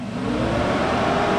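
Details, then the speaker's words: 2004 Arctic Cat 500 TBX ATV, warmed up at idle after an overheating repair with the fuse replaced: the cooling fan kicks on with an even whir over a steady idle, with no rubbing or ticking. Normal radiator fan operation. "So as long as the key's on and it's hot enough for it to need the fan will run. So that issue's fixed."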